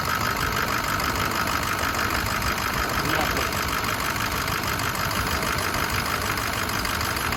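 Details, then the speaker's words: 2006 Ford F-350 Lariat 6.0L diesel, 6-speed, 252k miles, idling with oil filler cap off: even, steady idle with no puffing from the filler; blow-by is minimal and the engine is in good shape. "or we can hear the cap hardly any really none so that's what we want this thing's in good shape"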